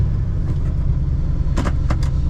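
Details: 1978 Ford F250 Explorer Ranger, running on the main fuel tank, fires right up and settles into a deep, steady, even idle rumble with no misses or knocks; healthy engine.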